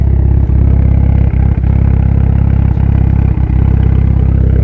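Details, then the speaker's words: Evo 9 MR 4G63, warm after fitting GSC S2 cams, valve springs and retainers, stock turbo: deep, steady idle with an even pulse and no ticks, knocks or misses; engine sounds healthy. "But damn, car sounds healthy right now. Super excited to make some gain power on Landon's car. Sounds really good."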